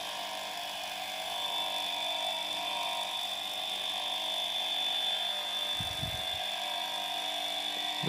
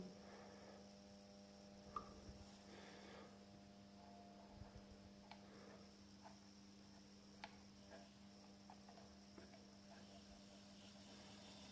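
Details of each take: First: Welling 230 V AC induction pump motor from a Galanz dishwasher run on a variac at about 240 V, held in hand: steady quiet hum with constant high whine, no rattle or pitch wobble; runs normally. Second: Welling 230 V AC induction pump motor from a Galanz dishwasher, fed a low voltage from a variac: faint steady low hum with a few light clicks and no run-up. At this low voltage it fails to self-start and needs a push.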